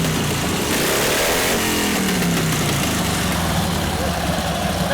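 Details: 1952 Harley 74ci panhead, freshly rebuilt top end, rebuilt Linkert carb, on full choke: uneven, popping V-twin beat that picks up as throttle opens but stays ragged; carburetor running lean, needs a richer jet.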